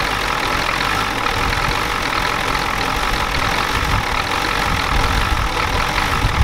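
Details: 1993 Ford F-250 7.3L IDI diesel after sitting since Monday: a loud, steady idle with a hard, rattly clatter over the rumble. The injection pump was checked and confirmed out of time, and the engine smokes heavily.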